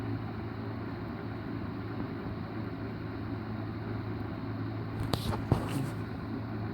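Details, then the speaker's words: 1980s Galaxy 2153A 12-inch three-speed box fan, recently oiled, on medium: quiet, steady low hum with an even airflow hiss and no rattles or scraping; runs smoothly. "there's a little bit of a sort of sound but it is very quiet I do like that"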